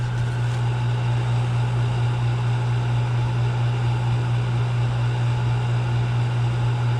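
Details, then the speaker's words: Draft fan just kicked on after pump change and rewiring, on a chilly 28-degree day, some water leaking from a stem: loud steady low hum, constant even drone, no rattles or surging; running smoothly. "yep so the fan just kicked on so we're pulling"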